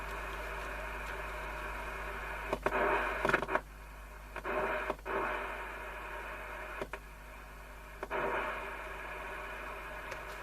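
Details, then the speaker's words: 1954 Philips large valve radio with ECC85 VHF circuit: hiss and static with bursts of station sound once the open point is bridged; wrong resistor fitted and left unconnected, likely faulty from new. "So this can't have worked from new, actually, judging by this, because that resisted the wrong one, and that resistor not connected to anything."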